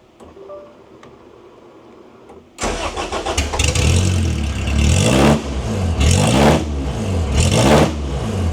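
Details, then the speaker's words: 1992 Honda Civic VX with a rebuilt Jackson Racing supercharged B18C VTEC engine on a base map, in a barely complete car. It catches on the first crank and settles to an even idle with a few clean revs. Healthy first-try start. "So, as you can see, she starts right up on the first try. And, uh, that's a big step for us here."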